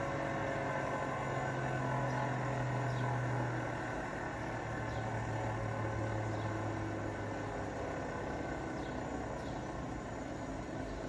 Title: Hotpoint last interm spin with bad bearings